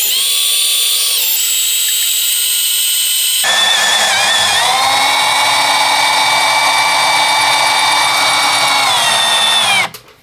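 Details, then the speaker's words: Drill under clamp pressure drilling through a steel window lintel, done in 43 seconds: steady high-pitched motor whine holding even speed under load as the bit cuts steel; sounds normal. "43 seconds that is the quickest I've done one yet normally it takes a little bit longer than that"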